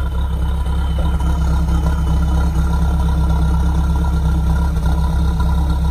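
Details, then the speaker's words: Mahindra Roxor diesel first start after cold storage through a polar vortex (about -5°F) on the standard battery; steady, even idle with a low regular chug, now running smoothly with reduced smoke. "and right they can hear how it's moved out it's now running smoothly the smoke has reduced"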